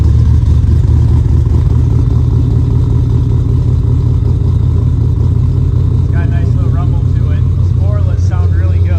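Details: Customer's Vortex-supercharged Mustang V8 street car, just after an engine oil change (Royal Purple 520) and supercharger oil refill: deep, steady, loud rumble with no misses or knocks, voices near the end. Healthy running.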